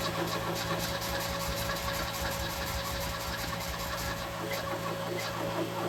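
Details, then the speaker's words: Ford Escort MK3 Cabriolet during restoration: steady rhythmic cranking with occasional stronger firing pulses that nearly catch but never settle into an idle; cranks without starting. "That was bloody close."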